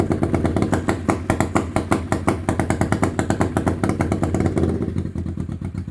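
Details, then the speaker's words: 1991 Kawasaki EN500 Vulcan that idles fine but bogs and stalls with a little throttle despite rebuilt carb, new jets and cleaned tank; uneven thumping pulses weaken; rich, lean or air leak suspected. "Um, and if I give it a little bit of throttle, it just starts to bog and stop."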